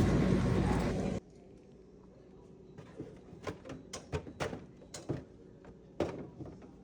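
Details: Frigidaire refrigerator ice dispenser after the ice maker and auger were reinstalled: a loud rush of ice at first, then a quiet hum with quick light clatters as cubes drop; the dispenser is now feeding ice normally.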